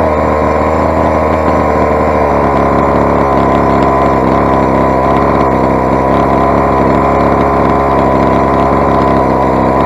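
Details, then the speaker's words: Rovan 45cc big-bore two-stroke, first run, with modified exhaust header and swapped flywheel: loud buzzy steady rev with a ragged, uneven edge, sounding poorly; owner blames carb settings being way out. Rough running two-stroke. "if you ability test the Chinese engine it does sound quite poorly now say"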